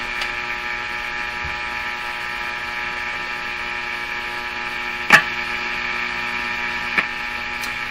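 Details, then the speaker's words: Hallicrafters S-40A shortwave receiver, chassis tied to house ground while testing the line "death capacitor": steady low-frequency mains hum under constant hiss, pitch unchanged; hum worsens with capacitor in and a hand on it; mains hum in audio. "it's a very low frequency hum that seems to disappear slightly higher frequency one doesn't change"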